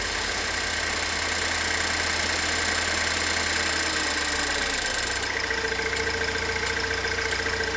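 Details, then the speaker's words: Pontiac Solstice engine idling, listening to the high-pressure fuel pump before replacement amid a strong fuel odour: steady idle with light quick ticking about two a second, fuel rail pressure around 4.4–5 MPa; normal pump noise. "I think what I'm going to do at this point is remove this and then start the car up, and we'll listen to the high pressure fuel pump."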